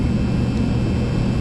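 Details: Old Kenmore gas dryer after replacing bad gas valve solenoid coils, igniter heating before burner fires: steady low drum rumble with even hum, no scraping, knocking or squeal. Normal running after repair.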